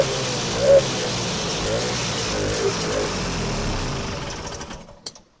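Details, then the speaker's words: Vintage two-stroke snowmobile after carb reinstall, new filter, needle and seat, fresh gas: runs a few seconds on prime then fades and quits; not drawing fuel, problem traced to fuel tank, corroded filter. "And she's not pumping. Huh. Try her again. Well, that didn't work out super good. Let's see. Found the problem. It's in the fuel tank."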